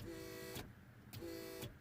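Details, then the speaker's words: Audi TT Roadster, ignition off, roof already fully open, pressing open switch: short whining pump bursts start and stop with a click; pump wired directly from previous bad repair keeps running, overheating and melting wires. "can you hear it so basically guys what's happening is what is happening is that if you force it for too long once the roof is open you're gonna overheat those wires etc etc"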